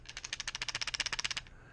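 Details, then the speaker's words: Electromagnetic voltage tester on a light circuit switched on and off: fast thin buzzing rattle, about fifteen clicks a second, cutting off sharply as the internal washer is pulled down, showing the circuit is live. "this is an electromagnet meter and there's a washer that it pulls down so I was having her turn it off and on so that I could hear the little washer click it rattles"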